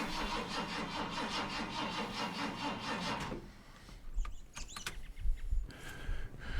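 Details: Junker donor car that sat two days, battery fitted, throttle pumped several times: the starter cranks evenly for about three seconds but the engine won't catch. The owner suspects flooding or a low battery.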